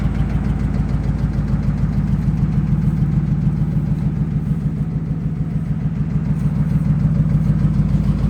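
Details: 2005 Dodge Ram Hemi V8: steady low idle rumble with a regular deep knock about three per second, rising with revs; suspected rod knock, not confirmed.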